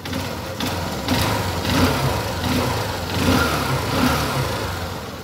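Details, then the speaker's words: Honda Shine single after engine work for stalling and a free-spinning kick: valve tappets set, head oil supply checked. Small revs rise and settle back smoothly with steady firing, no knocks or rattles; the sound is fine. "काफी आवाज भी ठीक है"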